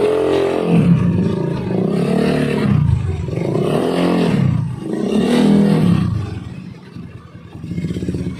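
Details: Honda Beat carburetor scooter after fixing rattling CVT noise on throttle opening by refitting CVT cover support boss: throttle blips rise and fall cleanly, no rattle or grinding from belt drive; transmission quiet and sound.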